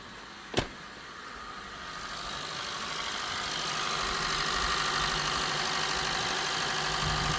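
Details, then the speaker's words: 2017 Honda Vezel Hybrid with cold-start misfires: after a coil was left unplugged, the idle settles into an uneven, loping beat with a stumble every few turns, felt as rough misfire on cylinders two and four. "I still feeling a rough misfire especially number two and number four okay let's step on the X yeah you're feeling a rough idle on number two number four"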